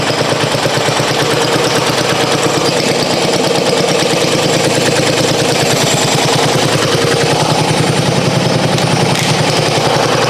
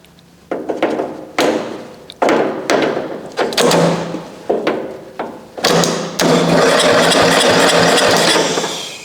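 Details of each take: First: 1994 Coast to Coast riding mower with Briggs & Stratton single-cylinder, abandoned for years, new spark plug, unknown-age gas: steady, even chugging with no misses or knocks; normal running. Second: 1994 Coast to Coast riding mower, Briggs & Stratton engine, sat abandoned for years; would not crank on key, no power at starter, so power fed directly to starter: short whirring bursts then steady spin, engine turns over.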